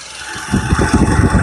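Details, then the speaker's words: Mitsubishi Pajero Sport 4D56U common-rail diesel after overhaul, started with the microphone in the same spot as the pre-overhaul recording: fires up into an even, soft chug with no knocking at idle; quiet, like new. "Ada bunyi tidak. Macam baru buka plastik sebagai cerita. Macam buka plastik."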